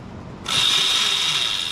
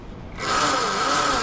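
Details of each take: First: Yozma IN10 e-bike at about 300 miles, with recurring chain stretch and a chain tightened three times: rear wheel spun under throttle gives a sudden harsh metallic rattle with a high whine. The likely cause is a worn chain tensioner pulley. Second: Yozma IN10 e-bike at about 300 miles, after fixing a chain tensioner problem that caused chain stretch and a racket; throttle applied. Motor whine climbs to a clean steady tone with light, even chain hiss; normal drivetrain.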